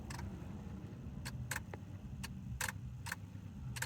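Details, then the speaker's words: Ford Taurus won't start: battery full, tried in park and in neutral with brake on; turning the key gives only scattered sharp clicks, about seven in four seconds, with no cranking. Owner guesses the starter. "Put the brake. Nothing. There's some clicking sound here."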